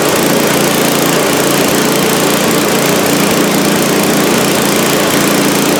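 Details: Scrap snowblower engine after cleaning oil-like old fuel from the carburetor bowl and jet: steady, even buzz with no misses, surges or knocks; runs cleanly on its own fuel.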